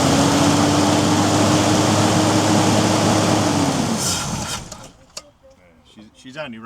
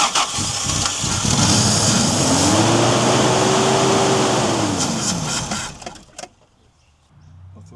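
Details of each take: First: 1990 Toyota LandCruiser petrol 3F six-cylinder, sat for years, tank empty, running only on fuel poured into the carburetor bowl: smooth and even for about four seconds, then fades out as the fuel runs dry; normal running. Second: 1990 Toyota LandCruiser, 3F petrol engine, sitting for years, fuel tipped into the carburetor bowl with tank empty: catches, revs and holds a few seconds, then fades and dies once the bowl runs dry; fuel starvation.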